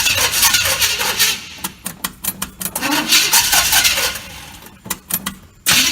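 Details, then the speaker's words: 1986 GMC truck with a swapped-in 400 small block, carburetted, choke on; starter repositioned after repeated starter failures. Starter churns in uneven bursts, two to three turns a second, never firing: no-start because the carburetor is empty of fuel. "now the problem with it not starting the uh the fuel is just now starting to pump up here so i gotta get fuel in the carburetor and then it should start"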